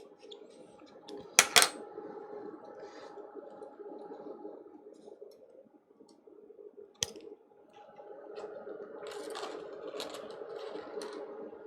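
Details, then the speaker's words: Fluke 5700A calibrator running its self-test after earlier failures: quiet fan hum broken by a few sharp, isolated relay clicks spaced seconds apart, relays switching normally. "can you hear the the relays clicking I started the self test on the calibrator because I had some issues with it um yesterday"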